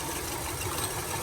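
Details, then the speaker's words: 2000s Hyundai Accent idling with misfire: pulling a good coil plug makes it run worse and plugging back smooths the idle; faint uneven stumble underneath, dead cylinder (probably number three) traced to a bad ignition coil. "you can see how the motor is running and when i pull it you see how it gets worse plug it back in it idles up runs a little smoother"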